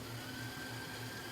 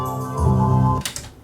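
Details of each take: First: Yamaha K-1020 cassette deck, chassis reinstalled after motor repair, winding forward and in reverse: faint, even whir with a steady high note and plenty of torque, no slipping; normal wind and rewind, though the idler later slips on play. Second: Yamaha K-1020 cassette deck after motor/mechanism repair, play mode: music plays in bursts that cut out for a second or two then resume; fast forward and rewind have plenty of torque but take-up spool stops on play, idler suspected slipping.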